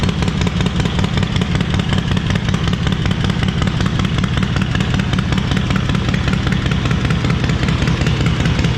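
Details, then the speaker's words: Stone-cold 131ci Harley Breakout V-twin (just over 140 hp) after a Screamin' Eagle high-volume oil pump and cam support plate were installed and pushrods were preloaded 100 thou and bled down. A loud, lumpy, even potato-potato idle with no ticking or clatter. Normal cold idle. "So let's fire it up for those who haven't heard it. And it is stone cold, guys, so she's ready to fire straight up."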